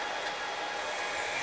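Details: 6040 CNC router's new spindle on a VFD, commanded 20,000 rpm and reading about 18,600–21,200 rpm: a smooth, steady high whir with even airy rush and no wobble. Normal spindle running at speed.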